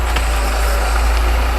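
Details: Chevrolet Niva / Lada Niva 4x4: two sharp clicks about a second apart at full left steering lock when pulling away from a standstill, suggesting a front suspension or driveline click; a worn driveshaft cross joint is suspected, not confirmed.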